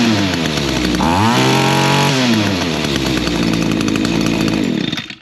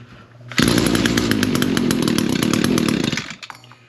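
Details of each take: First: Echo two-stroke trimmer after carburetor adjustment for lack of full throttle: revs to high buzzing whine then drops smoothly back to steady idle, head not spinning; normal idle. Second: Echo PAS225 two-stroke trimmer, cold start with primer and choke, reported to run but not throttle up: short choked, rough, fluffy revving that never reaches a clean high scream; bogging at full throttle, carburetor or exhaust port suspected.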